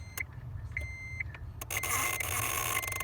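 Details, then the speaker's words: 2006 Acura TL with the key held short of crank: thin high buzz and rapid chatter at the starter relay, with intermittent starter grinding at first turnover; suspected failed ignition starter switch. Replacing the switch fixed only the buzz. "And I found out this buzzing noise is weird. So you start the car and hold it to some position, you can hear it. Hear the buzzing noise."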